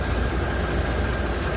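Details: 2008 Toyota Tundra after alternator replacement, idling: steady, even low rumble with no knocks, misses or whine; charging at 13.9 V.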